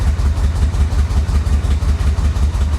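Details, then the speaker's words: 1985 Chevrolet Corvette from Florida swamp, fuel pump resubmerged in tank, pedal to floor and smoking heavily: deep lumpy loping throb about five per second; rough running, cause unclear. "she's running she's also smoking i've got the pedal to the floor uh this is the best it's done so far obviously it's it's not very happy but it's running"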